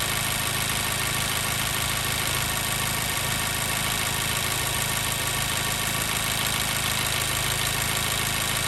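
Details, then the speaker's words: 2014 Mazda 3 2.0L, warm idle after about 9 minutes running: uneven stumble about two beats a second through loud hiss; cylinder 2 misfire (P0302). "All right, we're really starting to hear that miss. Vehicle's been running about 8, might be coming up on 9 minutes now."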